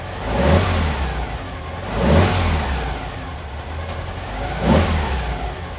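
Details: Car with Weber 40 IDF carbs after cleaning clogged idle jets. Three clean throttle blips, each dropping straight back to a steady low idle.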